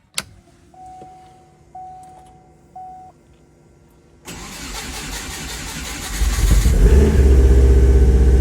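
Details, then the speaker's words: 1997 Subaru Impreza Outback Sport with a 2004 WRX turbo engine swap, first start after correcting jumped timing. Chimes, a few seconds of cranking, then a steady, even idle with no misfire; before, it was missing badly. "I don't want the belt to jump again it was pretty loose but this sounds promising uh before it was missing real bad"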